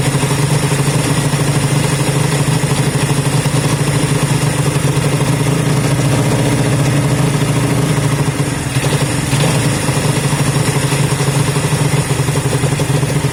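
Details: Honda CB200 first start after many months stored, after air filter work and fuel run through: steady even low burble, smooth regular beat, no misses or knocks; normal idle.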